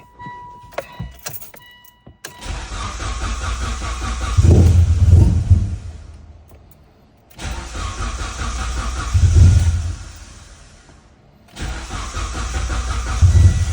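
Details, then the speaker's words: E85 car after a fuel pressure regulator failure, with new fuel and the old fuel drained: three long bursts of steady cranking, never catching; crank-no-start, later traced to an unseated MAP sensor. "all right spray brake cleaner into the vacuum Port still didn't start it runs a little bit with the fuel pump disconnected uh but obviously it dies because it's not getting fuel with the fuel pump connected it doesn't run at all"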